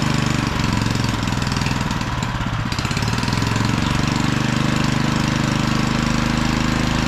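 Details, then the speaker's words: Auction-bought small generator, first run after adding fuel: smooth, steady beat with no misses or rattles, staying even under a plugged-in load; slight fuel weep from the fuel bowl; normal healthy running. "wow that good job actually sounds really good let's plug something in"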